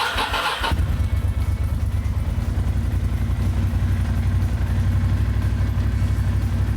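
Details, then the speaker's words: 2002 Ducati Monster 750 after oil change with 3 quarts and AMSOIL filter, cold start on choke, Remus exhausts: starter whirr, quick catch, deep lumpy but steady V-twin idle, no knocks; healthy cold start. "Well, I'm looking at the window, and after those 3 quarts, it looks happy."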